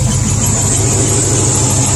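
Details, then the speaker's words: IH 345 V8 in an International Harvester 1210 pickup that sat a decade, with a broken pushrod replaced, warming to full temperature: steady idle with a faint, high, thin squeal; owner suspects the water pump, then thinks the alternator. "a squeaking imagine the water pump is probably not good actually I think it's over here I think it's the alternator"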